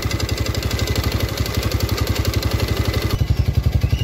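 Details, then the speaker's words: Yamaha Vega R new at idle, emitting very thick exhaust smoke: a loud hard clatter of about four knocks a second in step with firing over the exhaust beat. Piston slap; piston to be replaced. "Bagaimana suaranya itu ngekeknya itu di bagian mana dan di sini motor ini mengeluarkan asap sangat tebal sekali oke teman-teman Saya nyalakan oke teman-teman suaranya seperti ini ya keras sekali"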